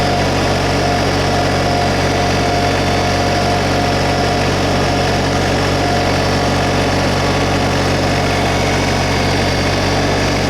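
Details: 2022 LS MT125 compact diesel tractor, about half an hour on it, just fired up: steady, even diesel running at slightly raised idle, smooth unchanging beat, no knocks or squeals; sounds pretty good, normal idle.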